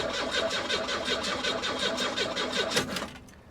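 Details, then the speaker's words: 1992 Buick Century, 78,000 miles, likely 3.3 L V6, at auction after improving the ground; even fast cranking about five or six strokes a second for three seconds, then silence; never fires, no fuel pump heard. "no this thing doesn't run that sucks because i'm winning"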